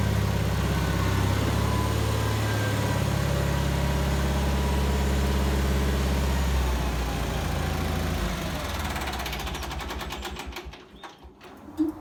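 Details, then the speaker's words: Bolens HT20 garden tractor on a short test drive after repairing a flat rear left tyre; steady low drone with even firing, pulling smoothly before tapering off, running nicely and unstrained. "as you saw there the tractor is running nicely and this tire seems to be holding air well"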